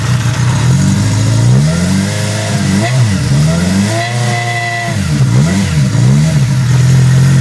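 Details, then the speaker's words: 1975 Honda CB550 with OEM parts: clean idle climbing smoothly into several quick throttle blips and settling back each time, no misses or rattles; runs really good. "This runs really good. Rev it up with it."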